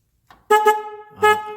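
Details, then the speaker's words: Car horn connector jiggled to check for a loose connection: two short clean horn blasts come and go as the plug is wiggled; horn cuts in and out from a loose connector. "look at that so so that's the problem right there so now i'm pushing it all the way back in and you can see so there's bad connection"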